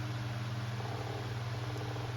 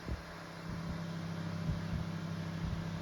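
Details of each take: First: Kuo Horng 9-inch KH-901 oscillating desk fan, dropped, bearings cleaned and oiled, on high speed: steady motor hum with rhythmic knocking in the fan head from shaft end play, as the old thrust washer wasn't replaced. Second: Kuo Horng 9-inch oscillating desk fan KH-901, dropped off a desk and its thrust washer worn, after servicing: a low steady hum fades smoothly as the blade coasts for several seconds, a normal spin-down where before it stopped immediately.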